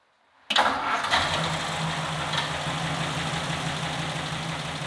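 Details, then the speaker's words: 1949 Ford Shoebox with its original flathead V8, run after years of dormancy. Fitted with a rebuilt carburetor, new plugs, cap and rotor, plus new points and condenser after the points gap was found nearly closed (spec 0.014). It catches right away and settles into a smooth, even idle. "New carburetor, check. New plugs, check. Points, condenser, check. Cap and rotor, check. And now the thing's running like a dream."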